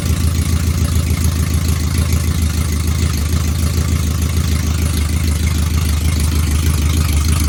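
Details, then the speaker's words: Truck with DOD removed mechanically but still active in the tune: loud uneven lumpy idle with hollow off-beat pulse, running on four cylinders, two per side; cylinder deactivation stuck active, DOD tune delete planned. "think the DOD is the one that's causing the trouble. So, and it sounds like a fucking 4-cylinder when you start it up."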